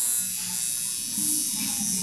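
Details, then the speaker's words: Motorcycle fuel injector powered on the bench from a 9 V AC source for home cleaning with Car 80: a steady, even electric buzz, the normal sound of a working injector. "conecta aqui no bico injetor ele tem que fazer esse barulhinho galera não pode ser corrente retificada não tem que ser corrente alternada"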